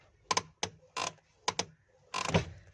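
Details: Clutch pedal pressed and released; sharp clicks and short dry creaks on each release, a dry pedal pivot bush.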